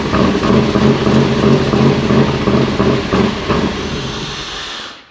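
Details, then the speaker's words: 1994 Pontiac Trans Am GT started after sitting in a barn since 2005, with thick old oil and fluttering oil pressure gauge: even, steady firing beat with no knocking or tapping, then shut off; healthy normal idle. "well i've got to say that is a win in my book it is a runner it sounds pretty good it sounds pretty healthy no knocking or anything"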